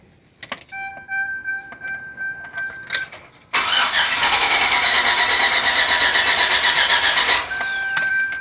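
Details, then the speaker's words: 2005 Chevrolet Suburban Z71, 54,000 miles, dies after about five minutes since a fill-up despite new starter and fuel pump: steady, even cranking about three turns a second for four seconds with no firing; cranks but won't start. "I'm having a problem starting my 2005 Suburban after I put gas in it and fil it up."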